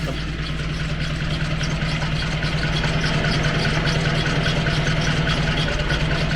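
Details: 40-year-old vintage vehicle started after priming with the boost pump. It settles into a steady low idle with a light, even tick at a constant pace and no misses or knocks: a healthy engine.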